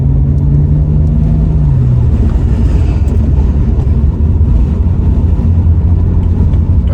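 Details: BMW E90 328i, N52 inline-six, 335i-style dual-tip exhaust after adding a MagnaFlow performance muffler, cruising on the road: steady low, even rumble under road noise, no drone where it used to be worst at 2,000–2,500 rpm; normal.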